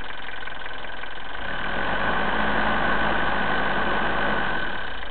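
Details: Diesel after fuel filter change starts fine, then makes an unfamiliar high-pitched noise, idle won't hold and it won't rev past about 1200 rpm; engine cold, smoke from turbo area, owner suspects the injection pump.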